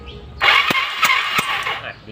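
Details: Yamaha Fino scooter that died while riding, warm: electric starter whirs with even compression thumps about three a second but never fires; spark, compression and plug fine; carburetor intake boot found detached.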